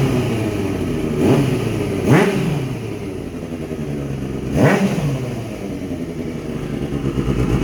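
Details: Kawasaki ZX6R streetfighter build after fuel pump problem resolved, exhaust sound at start-up: steady idle with three quick throttle blips rising and falling cleanly; healthy and crisp.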